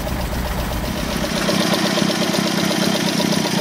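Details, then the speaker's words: Alfa Romeo 33 carburetted boxer engine at idle after poor compression readings; busy idle with an irregular, fairly cyclic ticking clatter of about four beats a second from one side; the owner suspects a badly closing valve and plans a valve clearance check. "Thực sự có một tiếng động lạ ở phía này. Tôi không thích nó có thể là một van đóng không tốt. Nó cũng khá theo chu kỳ , đó không phải là một dấu hiệu tốt ."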